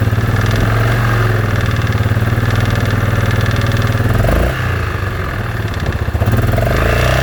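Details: Yamaha Grizzly 660 after rebuild with new Hot Rods crank and Wiseco piston: deep single-cylinder idle with rough, uneven thumping and a brief dip midway; abnormal engine noise, source not pinned down.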